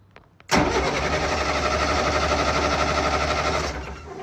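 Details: Military diesel generator that would not run: short crank, then catches and settles into steady even clatter before winding down; starts now, though original fault still unclear.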